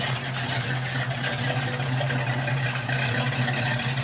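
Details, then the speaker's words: 1969 Mustang after a new dual exhaust replaced straight headers: deep, even V8 burble at steady idle with no knocks or misses; now quiet enough to hear yourself think in the car. Normal idle. "Sounds a lot better. Yeah. Yeah, you can hear yourself think in the car now."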